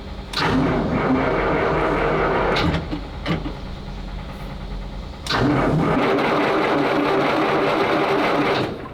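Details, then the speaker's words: Six-cylinder big-capacity side-valve petrol engine in a WWII-era military vehicle, no choke on carburetor; fuel pump running, accelerator pumped, two long bursts of starter cranking with no firing; cranks but won't start, starting spray planned. "Even though we're in a hot climate, it's got no choke on the carburetor. So sometimes it needs a little bit of lazarus in the can to just wake it up a bit."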